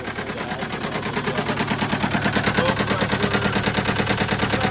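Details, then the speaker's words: Case 188 four-cylinder diesel tractor running before teardown: a lumpy, heavy, uneven thump about three times a second, knocking and smoking. Number one cylinder appears to be misfiring, not firing at all. "there's something going on with the motor it's missing real bad it's smoking a number one cylinder appears to be misfiring not firing at all"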